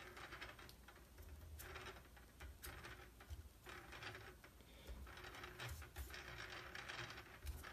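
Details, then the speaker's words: Quiet, uneven ticking and light grinding as a red-side prop of a new DJI Inspire 2 is turned by hand; prop appears to move slightly on its mount, white side quiet. "So, I have my nice new DJI Inspire 2 here, but the props are making a terrible noise."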